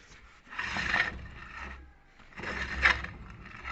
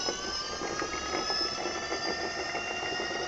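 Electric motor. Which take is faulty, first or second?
first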